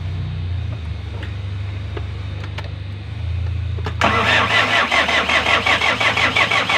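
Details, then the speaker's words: Hyundai D4BB diesel after engine rebuild, first start after bleeding injector: fires at about four seconds, settles into even diesel clatter near three beats a second, no knock; earlier ticking and internal rattling gone; normal idle. "Wala na yung ingay, wala na yung nagitik, nagkakarambulan sa loob, no? So tahimik na siya pag normal."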